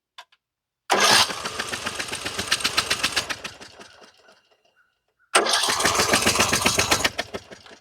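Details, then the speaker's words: 25-year-old Craftsman LT1000 riding mower with a flooded cylinder, choke off, brake on: two bursts of quick, even cranking with the spark plug removed and no firing, the second spinning faster as gas is cleared. "And I'm going to leave the choke off just because there's gas in the carburetor already. And uh we'll crank it without the spark plug once."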